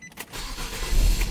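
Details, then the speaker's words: 2009 Nissan Sentra with intermittent no-crank, no-click, after replacing the bad starter relay: brief crank catches almost at once and settles into a steady low rumble; normal start. "All right, voila, it starts up."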